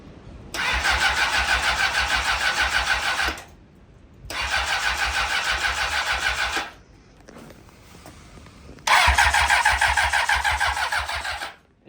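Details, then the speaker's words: Honda CBR600RR, rebuilt after blowing up, first start attempt without coolant: three cranking bursts of about three seconds, steady starter whir, never fires; sounds like no fuel delivery, weak battery also suspected. "giving me an oil wipe and it sounds like it's not getting gas."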